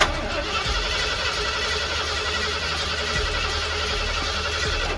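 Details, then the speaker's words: 1979 Ford Bronco under restoration, not fired in a long time, in park on a jump-box boost: steady starter cranking about five seconds, never catches; cranks but won't start. "i just uh cranked it there for a little bit didn't get any gas that's it's mint just doing a little check here i'm not sure what i'm what else i'm supposed to do to get this thing firing"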